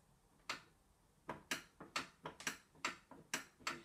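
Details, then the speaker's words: Burglar alarm bell box powered from a borrowed backup battery, lifted off its wall mount: several sharp dry clicks in a quiet room from the wall tamper switch; tamper switch working normally. "it's got the wall tamper so before that would be like that you'll hear a click as soon as i lift you up"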